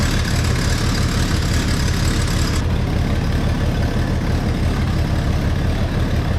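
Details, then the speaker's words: Classic truck with muffler removed, exhaust lowered back and running with known leaks at joints: steady low idle with an uneven puffing tick on the exhaust pulse; manifold leak suspected, not confirmed. "That sounds like a manifold leak."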